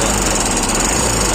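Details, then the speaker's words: Royal Enfield Himalayan running with a fast, steady metallic clatter that never eases off; the timing chain tensioner has failed, its lock no longer holding and it pushes in, letting the chain slap; tensioner to be replaced. "देखिए cutter पटर cut पटर की आवाज आ रही है Russell य किस चीज का हो सकता है आप बताइए यह मैं आपको बता दूं कि य टाइम च का आवाज हैका एडस्ट होता है होता है ही खराब हो"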